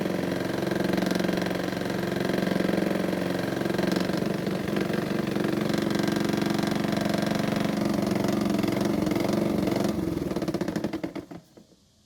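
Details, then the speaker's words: Honda mower with a seemingly bent crankshaft, judged by blade bolt wobble; possibly from hitting something hard or heat warping after long running with little to no oil: small engine runs with a steady thumping knock about four times a second until shutdown. "it would seem that the crankshaft is bent from either hitting something that shouldn't have or it could have warped from the heat because there was little to no oil in the engine for a long time"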